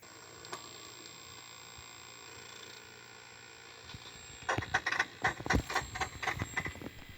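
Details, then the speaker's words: 1993 Gaelco World Rally JAMMA arcade board after replacing a 358 op-amp in the audio section: ragged crackly bursts, like applause, instead of intro music; sound still garbled, capacitors to be replaced next. "résultat n'est pas franchement au rendez vous on a même droit des bruits d'applaudissements à la place de la musique d'intro"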